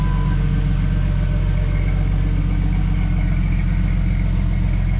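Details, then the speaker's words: 1998 Jeep Wrangler 4.0-litre inline six, newly installed engine, aftermarket exhaust and manifold; deep, smooth, even idle with a steady low rumble and no ticking or stumbling. Normal idle. "Aftermarket exhaust, some kind of aftermarket manifold on it. Sounds pretty good for a little 6-banger, 4-liter 6-banger."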